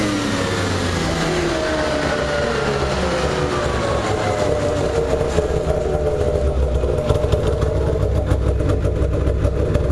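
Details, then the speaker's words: Craftsman DYT4000 lawn tractor jacked up in the garage at full throttle to check for bogging: it winds up hard and holds high revs with a strong, clean rasp, no stumble or bog. "I just want to make sure it wasn't bogging down anywhere or anything like that um it did actually really well didn't bog down real fast"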